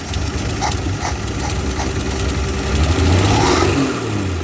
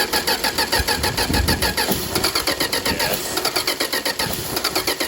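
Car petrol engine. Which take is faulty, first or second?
second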